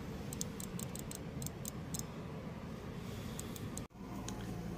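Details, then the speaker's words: Activation test of the good fuel injector, powering and grounding its two pins with wires: crisp, sharp clicks in short bursts each time the leads touch, so it opens cleanly, unlike the bad injector, which gave no click. "vamos a probar el inyector bueno aquí ya cambiamos el inyector y pusimos el inyector bueno vamos a ver Y en este inyector si se escucha"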